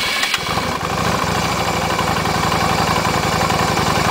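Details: Yamaha Virago 250 twin, compression 150 and valves slightly loose: a low, slightly lumpy idle thump about three to four beats a second while the vacuum gauge swings widely; a weak valve spring, sticking valve or EGR is suspected.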